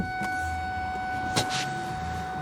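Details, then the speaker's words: Ford Focus Mk1 warning chime rings steadily with the ignition on and the door open. The gear-lever knob hasn't pushed fully out, so the car thinks it is not in park. "right the ignition is on the door is open and the warning Chim is on why is the warning Chim on"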